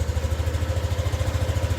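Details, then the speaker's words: Yamaha NMAX V2 scooter just restarted after repair of an engine knocking noise (engine opened, magneto cleaned): steady, even idle putter with no knocks or rattles, sounds healthy. "Yun na yung tunog. Yan yung tunog ng makina mga boss, mga master."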